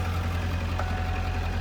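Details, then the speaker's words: 1997 Ford F250 7.3 Power Stroke turbo diesel idling after its first start in two years: deep rumble with a rapid, even clatter over it; a possible knock, cause unknown. "Let's go. [Applause] Sounds like it's knocking."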